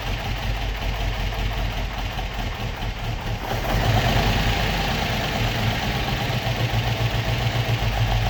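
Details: Opel Manta hatchback with Ascona front, stored about 20 years, still on old plugs, shortly after first start: steady, even low rumble ticking over on its own with no misses; healthy idle.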